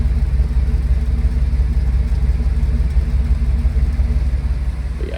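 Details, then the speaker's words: GMC Sierra V8 just rebuilt with lifters and cylinder heads, warming toward temperature: deep, even rumble with a gentle rhythmic lope at idle, no ticking or knocking; lifters quiet, great oil pressure, healthy. "it's quiet lifters are quiet everything's good it's got like the slightest lope to"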